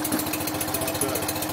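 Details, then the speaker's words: BMW R50 boxer twin motorcycle first start after full restoration: quick, even patter at idle with steady rhythm and no knocks or misses, running cleanly; an occasional small backfire was called normal. "Crazy. It sounds great. Yeah. Wow."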